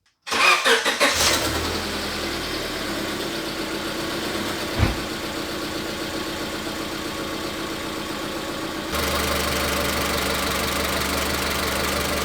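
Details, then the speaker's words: Misfire test by unplugging individual ignition coil connectors. Engine catches and idles with an uneven, stumbling pulse, and pulling cylinder 3's connector changes nothing, so the misfire is on cylinder 3 (codes P0300–P0308 context). "Como se puede ver, ahí encontramos la falla Cuando quito este conector, el motor no falla."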